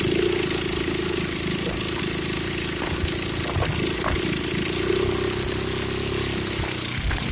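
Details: Restored 122cc Honda C70 Cub after starter and clutch problems fixed: small single putters at an even idle with smooth, regular beat, no knocks, rattles or misses; normal healthy idle.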